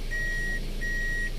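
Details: Toyota Corolla Altis automatic, after a no-crank no-start fixed at the pulled-out shifter: steady high beeps, about half a second on with short gaps, over a quiet idle once in reverse; the reverse warning works normally.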